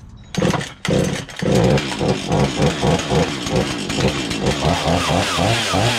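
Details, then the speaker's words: Found free Husqvarna chainsaw, not seized, bar oil half full: a couple of pulls, then a crisp, even two-stroke idle with light blips; runs well, though low and high speed screws could use adjustment and the chain is too tight. "Could use a little low and high speed screw adjustment, but it runs like a top. Chain is way too tight too, so loosen that up a little bit, and that's pretty awesome. Good running saw."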